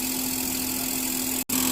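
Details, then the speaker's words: Mazda3 1.6 engine running, AC on: steady hum with constant whine near 200 Hz and hissy rush; noisy AC compressor from loose bearing and wobbling pulley wearing compressor collar, plus leaking hoses and O-rings. "รถมาเด้อ3นะคะเข้ามาด้วยอาการคอมแอร์มีเสียงดังนะคะ"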